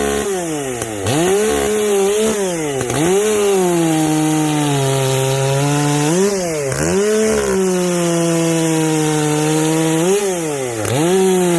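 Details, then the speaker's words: Echo CS-590 chainsaw after a carb mod with limiters removed; screams cleanly to a high crisp top speed each time opened up, no blubbering; before it garbled out near 10,500 rpm, now owner guesses 11,000–12,000 rpm. "you can hear it ring you know before it always blubbers out you know like i don't know maybe 10 500 rpms it garbles out maybe not even that high i don't know but now it's getting up there getting up there to i don't know 11 000 12 000 rpms"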